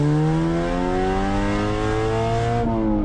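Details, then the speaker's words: 1988 Honda Civic 1.4 GL D14A1 dual-carb manual hatchback with exhaust hanging off: loud raspy blowy drone rising in pitch through the gears under acceleration, lots of noise but slow, pops and bangs; exhaust loose and leaking. "at the moment the exhaust is hanging off and then you can literally hear it blowing, but I'll give it a few rips and then you can have yeah, you can just see how slow it is. It makes so much noise but it's not really going anywhere."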